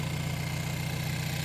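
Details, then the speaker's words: Hyundai Elantra N just after installing an upgraded high pressure fuel pump (Shark Racing Sonata 2.0T HPFP), first start; short steady low hum with even pulse and slight pump whir, seems louder than stock, normal smooth idle. "All right, let's go check it out. Seems louder than stock."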